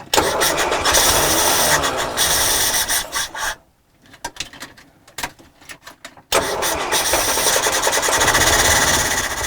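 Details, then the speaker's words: 1968 Morris ambulance van after carburetor fix (bent float rod straightened), starting on third attempt: cranks, catches and settles into a steady, even run after a brief gap, no misfire or knock — normal running. "yeah sounds great start doesn't it that sounds lovely not too bad isn't it with a simple fix to the carburetor the moris is on the road and running"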